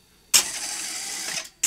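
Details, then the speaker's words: Philips N1502 early video cassette recorder with a tape playing: head drum servo whirs and hunts, unable to settle at correct drum speed, then shuts down with a click; owner suspects incorrect drum speed. "the drum server has gone off all over the place it's hunting and then it shut down"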